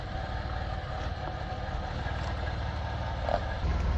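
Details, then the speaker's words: Car with automatic gearbox showing a gearbox fault message, running: heavy, uneven low rumble and churning louder than the engine; internal gearbox failure confirmed after fluid, reset and linkage checks. "I think it might be a gearbox fault. It sounds like utter turd from the gearbox."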